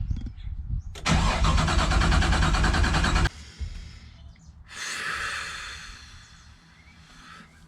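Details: Nissan S14 with swapped RB25DET after new fuel filter, primed: starter cranks about three turns a second for two seconds, never fires; fuel delivery fault, fuel pump in tank suspected.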